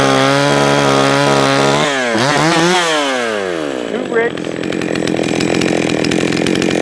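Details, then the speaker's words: Jonsered 525 chainsaw, carb set 1¼ turns high, 1½ turns low, just fired and tuned: two-stroke buzz sags and dips in pitch, stumbling, then picks up ragged; possibly running rich, carb rebuild suggested. Stumbling. "it is doing this weird thing where it's stumbling and stuff"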